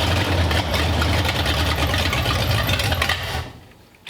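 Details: 1932 Roadster V8, newly installed in the car, carburetors not yet adjusted: it catches and runs rough and uneven for about three seconds, then dies; fires but won't stay running.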